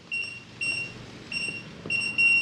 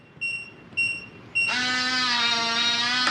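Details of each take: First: long beep, flashes green, flashes red, and it beeps at you like multiple times. It didn't take the code. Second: Kwikset 914 smart deadbolt: three short high keypad beeps, then steady motor whirr as the bolt drives open after the entered code is accepted.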